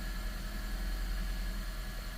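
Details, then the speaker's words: 2017 Honda Vezel Hybrid, cold start idle lumpy and uneven with a low shaky pulse; misfires on cylinders one, two and three, most on three, none on four. "okay I'm seeing a misfire on number two number three is counting number one it definitely feeling like a rough you know vibration"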